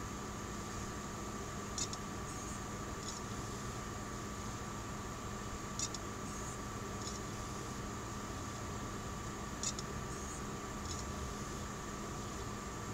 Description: My Seagate 2 TB (model ST2000DX001) bought on May 6th 2014, makes randon clicking noises on read. It seems the noise is less frequent once the device is hot, but the problem still happen.